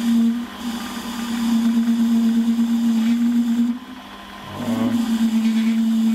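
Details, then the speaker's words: Holzmann ED400FD lathe turning a long bar to 24.85 mm diameter, with a half-millimetre depth of cut and no tailstock center. Steady mid-pitched hum that dips briefly. Chatter from the long unsupported overhang; a center would clearly reduce it. "so was kommt jetzt natürlich ein bisschen dass auch relativ weit ausgespannt man könnte jetzt natürlich eine spitze gegen setzten dagegen zurück aber das lassen wir in dem fall jetzt erstmal sein"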